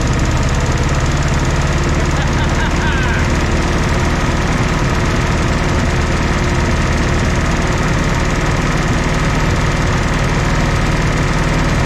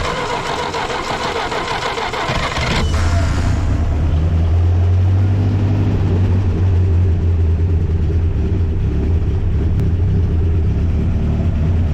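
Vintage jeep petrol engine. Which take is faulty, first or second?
second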